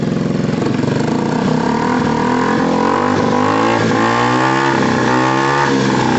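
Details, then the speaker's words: Gilera DNA 125, warm; single revs up and drops back cleanly, exhaust a little loud but even, no knocks or misses: healthy running with slightly loud exhaust. "loud it's a little bit loud by the way"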